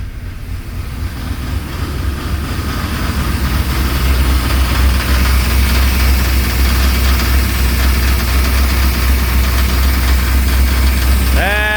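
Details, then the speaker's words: 1995 Chevy 1500, first run after correcting spark plug wires that were one position off on the distributor cap; it has oil pressure. Steady idle with a quick even knock about four per second from the front. Fan striking a loose object. "But honestly it sounded like it sounded like the sound was coming from the front here. Um like something was rattling."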